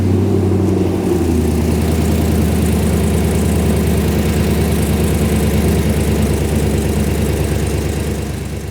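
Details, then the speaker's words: Ultima RS kit car with newly built 6.2 L LS3 V8, restarted after tightening fuel connectors to check for leaks; deep idle with an even, lumpy throb and no ticks, misses or hiccups: normal idle. "oh good yes and another episode draws to a close and what an episode it's been you've heard that heartbeat of my V8"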